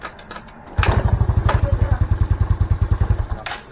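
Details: Yamaha Mio Soul single-cylinder scooter after cylinder head rework and damaged spark plug hole repair (had lost compression): catches straight away, steady low putter about three beats a second before shutoff; normal start and idle.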